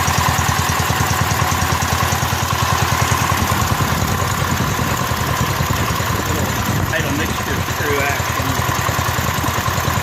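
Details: Rebuilt Kohler K241 single-cylinder in a John Deere 210 garden tractor on first start after priming the carburetor with a new fuel line: steady, even thumping at fast idle, holding speed cleanly before idle mixture adjustment.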